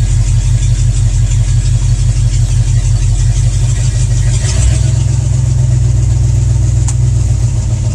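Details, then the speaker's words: IH 345 V8 in International Harvester 1210 pickup, first full-temperature run after sitting a decade and a broken pushrod replaced, warming up: deep, steady idle with an even low beat, no ticking or knocking; running healthy. "can't get over how good it runs now"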